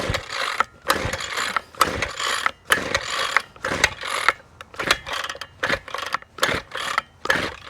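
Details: Six-year-old Ryobi weed trimmer, said not to start, with old-smelling gas and leakage around the carb (owner suspects carburetor or plugged cap): repeated uneven pull-cord rasps, no firing; cranks but won't start, cause not confirmed.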